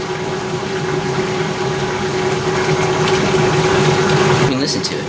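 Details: 32-year-old 1989 Maytag A512 Fabric-Matic washer during spin and drain: a soft, steady hum with water rushing through the pump and no grinding. It is impressively quiet and normal, though it occasionally squeaks faintly during spin.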